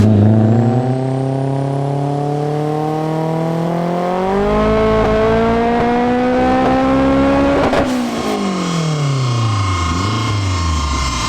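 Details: Turbo AWD Acura RSX on a dyno pull after the car cooled and wastegate duty cycle was added (about 11 lb spring, roughly 22 lb boost). The engine pulls hard with climbing pitch and one sharp pop near the top, spark blowout from the plug gap; boost reached 24 lb.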